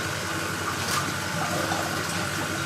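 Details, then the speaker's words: New Maxspect 350 twin wave-maker pumps on a single controller with two power supplies, reef display tank, first switch-on after installation: mostly rushing, gushing water with a faint motor hum, no buzz or rattle. Normal operation. "so it's time to turn on our new mac spec 350 twin pumps here we go three two one on"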